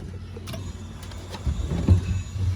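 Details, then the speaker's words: Volkswagen Squareback with LS V8 swap, key on with engine off after plugging in the laptop for tuning: brief low electric hum of the fuel pump priming normally. "i hear a fuel pump that's good"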